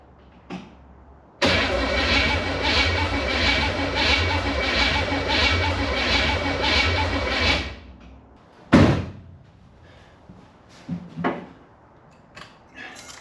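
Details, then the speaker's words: 1967 Chevy Impala with a 283 from a 1965 Chevelle that sat 40 years: steady cranking for about six seconds, never catching. Long cranking, no start. "I had the distributor off. I'm gonna turn it on now. I was just trying to get a little bit of oil pumped up."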